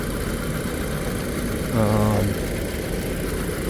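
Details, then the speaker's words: 2007 VW Passat Wagon Komfort with the 2.0T engine and 116,000 miles, one owner and well maintained, warm after sitting over a week. A steady, even idle hum with no knocks or ticks and a brief tonal blip: a normal, healthy idle. "I mean this thing just runs good sweet little car man"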